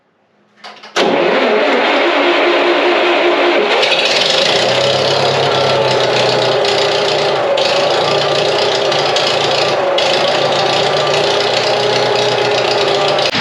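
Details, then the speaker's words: Ditch Witch R40 trencher after rewiring, alternator suspected earlier: engine fires and settles into a steady rev with a faint alternator whine; the ammeter shows 13.6, so it is charging normally. "13.6. I can hear it whining a little bit too."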